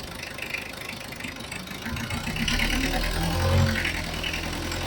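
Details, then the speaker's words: Mitsubishi Adventure diesel, long overdue for an oil change, hard starting needing throttle; injector nut loosened with 17mm wrench at raised idle to bleed; runs rough and uneven, misfiring from air trapped in the fuel injection system. "Ayan mga boss kung makikita niyo may hangin talaga ito. Kaya nga kung napanood niyo yung part one may palad yung makina eh."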